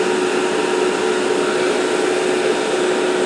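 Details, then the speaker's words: ALC60X argon laser head, about 195 hours, at full power about 10.25 A, 95 mW, heat sink 125°C: steady rushing air with constant mid-pitched fan tone, no wobble or rattle; cooling blower running normally, exhausting hot air. "Now we're getting, you know, hotish air out of the fan. So, that's good. Want to get that heat out of there."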